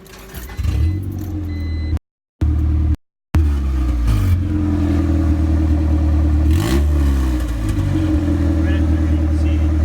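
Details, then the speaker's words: 5.0 Mustang with exhaust disconnected at the header after the cat-to-header joint rusted off: deep, very loud raw roar swelling with each throttle blip from the open pipe; exhaust leak at header. "I want to show you guys that exhaust leak I had I should have got on video but I have where the cat connects to the header it it would just rust it off so I just uh I just disconnected it"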